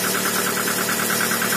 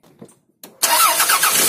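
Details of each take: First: Toyota RAV4 with fully cold engine after two days not starting, spark plugs cleaned and gapped to 1 mm and wires temporarily repaired: steady idle with faint quick even ticking, suspected hydraulic lash adjuster, running smoothly without misfires. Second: Toyota RAV4 that sat cold two days in snow and wouldn't start, after cleaning carboned spark plugs, gapping them to 1 mm and a temporary ignition-lead fix: quick cold start, even steady idle, faint hydraulic lifter tick; normal.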